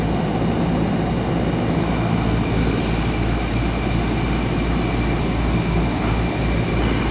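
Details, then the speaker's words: Newer Ruud AC outdoor unit after fixing a loose wire connection behind the no-cooling fault; capacitor good. A steady, even hum with a low mains drone beneath it and no clicking or chatter. Compressor and fan are running normally. "sure we get a nice steady stream coming out of there let it run for a bit behind it's just a loose connection so I'm getting good good water flow out of it"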